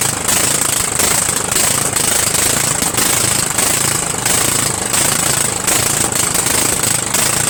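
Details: Murray 14.5 42" Widebody LT lawn tractor engine running on gas, fuel solenoid working, muffler off: harsh raw hammering roar with sharp high hiss; loud exhaust from missing muffler.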